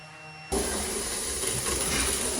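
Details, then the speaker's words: New house plumbing on a well, first time water is turned on at a vessel sink faucet: sudden loud steady hiss and sputter as trapped air purges from the new lines, which can whistle like a jet engine; normal. "air can make super weird noises as it's flushed out of your plumbing system by the water the first time you turn it on including whistling like a jet engine"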